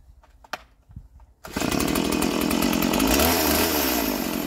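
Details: Stihl MS170 chainsaw, a roadside find started for the first time in years with a filthy, uncleaned carburettor. A pull, then it catches and settles into a steady buzzing two-stroke run that picks up slightly: normal running.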